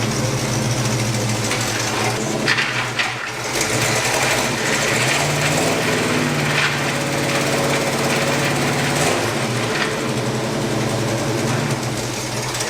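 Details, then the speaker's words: Abandoned 1977 GMC Jimmy revived after sitting: engine runs steadily under a harsh, constant grinding rattle that seems to come from in front of the transfer case; truck won't move in gear, noise absent in reverse. "i still hear noise do it again i still hear noise and it kind of sounds like it's in front of the transfer case [Music] it didn't really seem like it was on the move yeah"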